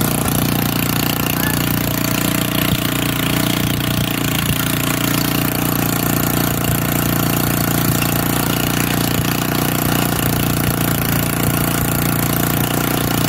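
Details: Old auction-bought Montgomery Ward tiller just started from full choke, choke now off: a loud, steady single-cylinder chug holds an even speed with no misses or surging. Running fine.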